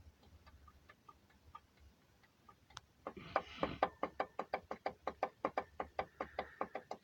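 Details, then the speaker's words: Mazda CX-7 engine: after a quiet start, sharp, even knocks about three per second. Rod knock from a spun crank bearing, blamed on topping up with diesel engine oil, knocking about a month later; the crankshaft and bearings are to be inspected. "вот такая вот проблема застучал движок а причина была первая причина была что на доливку масла взяли [ __ ] дизельные залили"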